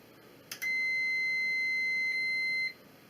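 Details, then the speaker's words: Battery portable power system inverter running an incandescent lamp: a click, then a steady high beep of about two seconds, an overload warning because the bulb draws more power than the inverter likes. "See, it's working, but you can hear the inverter is beeping. Basically, it's drawing more juice of this incandescent bulb on this inverter."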